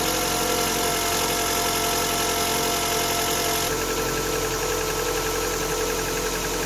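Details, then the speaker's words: Facelifted Ford Focus MK1 1.6 without air conditioning, new stretch-type auxiliary belt fitted: steady even idle with heated front and rear windscreens on as electrical load, smooth hum, no chirp or squeal; belt running quietly. "sometimes it actually squeals when you don't press the switch but fine no problems at all"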